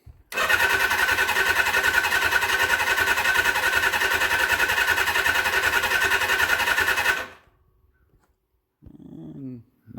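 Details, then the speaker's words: 1979 Suzuki GS750 motorcycle sitting since 1984, first start attempt: even fast starter whirr about seven seconds, no firing; owner suspects a safety or lockout switch. "hitting maybe there's a safety switch or something i should have said lockout switch"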